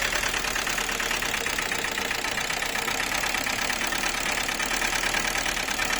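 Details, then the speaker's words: Lada Niva (VAZ-2121) carburetted engine at idle: fast, light, crisp regular ticking over a steady idle, heard as valves knocking, possibly loose valve clearance; owner also reports poor pulling under load, suspects ignition or carburetor. "Видел, тупо слышно, как стучат клапана."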